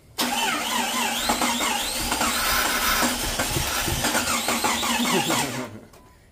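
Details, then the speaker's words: Jeep XJ with freshly built 4.0L, first start after fuel rail primed: starter churns unevenly with weak pops, missing badly and trying to catch but not running; injectors suspected; cranking, nearly firing. "it kind of wants to [Music] all right all right calm down we're getting somewhere you know honestly it probably is those injectors"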